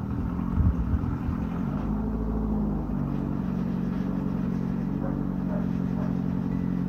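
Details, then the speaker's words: 1995 Ford Escort wagon, old exhaust before replacement, at idle: steady, deep, raspy unmuffled rumble with uneven rough edge; only the engine-mounted cat muffles it, a six-to-eight-inch hole between cat pipe and rest of exhaust. "but hopefully it was conveyed that this car is pretty ludicrously loud the only actual muffling going on right now is it still has a cat"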